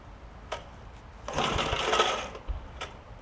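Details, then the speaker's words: Snapper tiller with 5 hp Briggs engine (estate find; stuck valve already freed): a rasping, whirring starter pull with a thin squeal, dry ball bearings in the recoil starter needing lube; engine tried to fire. "all right got ball bearing issues on this so let me work on that uh I'll show you what that is it did try to fire over which is really nice"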